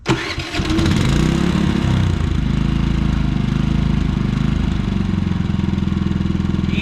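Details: Predator generator after its surging fix, back together with the screen refitted: it catches at once and settles into a steady, even low throb with no hunting or surging, running normally.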